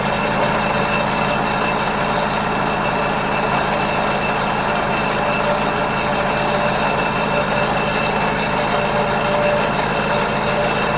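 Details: Ford 641 Workmaster tractor, sat at least 10 years, first start with new one-wire alternator: steady idle with constant thin rubbing squeal; drive belt rubbing the alternator fan, fixed by refitting original fan and pulley.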